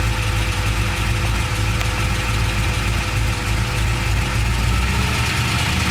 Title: LS2 Ticking noise